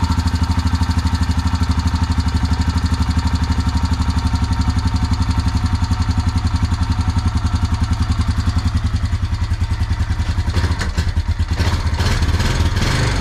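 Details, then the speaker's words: 2004 Honda Rancher 350 ATV single-cylinder at idle after carburetor replacement, idle possibly set too high: even thumping with light ticking; owner suspects loose valve clearance and plans to adjust valves. "i'm gonna probably end up adjusting the valves on this thing because you could hear it ticking pretty bad"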